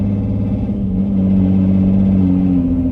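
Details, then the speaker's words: 2006 Nissan Murano SL 3.5L, somewhat warmed up, driving on main road in limp mode: steady low drone holding pitch while car strains under throttle and barely accelerates, sounding serious; cause not confirmed. "That definitely does not sound good. I did not even want to attempt to just drive it fast at all, because whatever that is, it sounds serious, and it also sounds like it literally wants to break for me"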